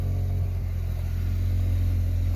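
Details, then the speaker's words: White Ford Ranger idling: steady low rumble with a raw puffing edge from an exhaust leak getting loud, suspected toward the rear. "Yeah, you guys can tell it's got an exhaust leak. And it's getting kind of loud, so need to probably see where that's coming from and patch it up."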